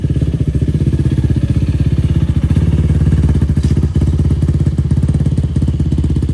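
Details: 2004 Yamaha YFZ450 quad after sitting, carburetor cleaned for a clogged pilot jet and new ignition fitted, on a freshly hooked-up battery: quick, even thumping at steady idle, no misses, stumbles or knocks; fan kicks on, not overheating. Normal idle.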